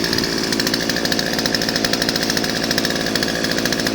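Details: Older Craftsman 16-inch 30cc chainsaw, cold start after six months unused, chain brake on, started first pull: fast, even buzzing two-stroke idle with no misses or surging; running cleanly.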